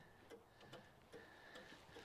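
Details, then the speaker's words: 1973 Toyota Hilux, newly plugged-in hazard switch, heard in a quiet cab: crisp, evenly spaced clicks about every 0.4 s as the flasher cycles. Normal hazard flasher clicking, though one bulb is possibly bad. "let's see up front I hear clicking okay we have at least one"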